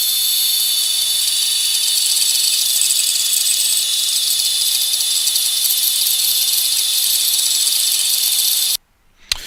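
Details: FPV quad on a Matek F405 VTX PDB combo with a hard-mounted flight controller: high buzzing motor whine fluttering just under mid throttle. A replacement motor didn't fix it and O-rings helped partly; the fix was anti-vibration standoffs. Motor oscillation from flight controller vibration.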